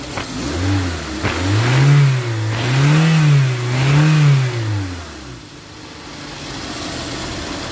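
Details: Toyota Avanza 1.5 G that had a crank-no-start fault with codes P1604 startability malfunction and U0167: three clean throttle blips rise and fall smoothly, then a quiet, even idle with no stumble; normal revving.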